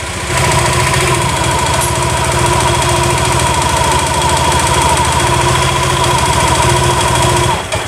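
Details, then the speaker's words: Honda Vario 150 with no-start fault, kick-started at idle: steady even scooter idle that abruptly dies when the battery is removed; should keep running without battery, so the non-original charging socket is at fault (found heating up). "Ketika motor ini dicopot akinya, pasti dia akan mati. Seharusnya kan kalau posisi motor ini steril, normal, gak ada kendala, ketika si soket ini dicabut, walaupun motor tanpa aki, dia harusnya tetap hidup, nggak mati kayak gini ya."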